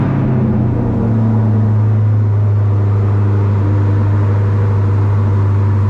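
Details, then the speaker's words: Catches and settles within a second into a smooth, even, low-rumbling idle with no misses or knocks on a rebuilt 2020 Corvette C8 Z51 after a year apart; first start after refilling coolant, fixing a disconnected ground and fitting a new battery. "So I ended up having a ground that wasn't connected, but after I fixed that, I got it to fire it up once I put a new battery in it, and ran pretty good."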